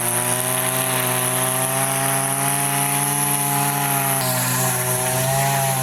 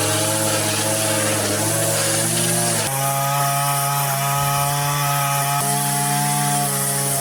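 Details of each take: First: Line trimmer with Arnetoli F-ONE head, forced line breakage against plastic: loud high two-stroke scream climbing as the line shortens and unloads the head, then shifting when line breaks off; over-revving from shortened line. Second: Line trimmer with Arnetoli F-ONE head cutting vertical edges: smooth, high two-stroke buzz holding steady revs, dipping briefly under load and recovering cleanly; healthy, head feels less vibrating than the previous one.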